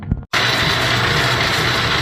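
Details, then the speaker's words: Brunswick A2 pinsetter pit conveyor run with pit board removed: steady loud rushing clatter with low hum, louder than expected; motor noise or loose/missing mounting hardware suspected, not confirmed. "that's honestly not bad I'm hearing more noise uh from the [Music] motor than our pit can bear"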